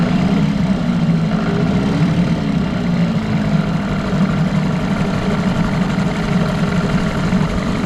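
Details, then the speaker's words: 1989 Evinrude Yachtwin 6 hp two-stroke outboard, seller said bad crank and smoked under throttle: steady idle with rough uneven knocking underneath; worn crankshaft, probably bearings, motor judged a parts motor. "it's just a shame that that crank is like that because it's not in that bad shape but there's still a lot of good parts on that"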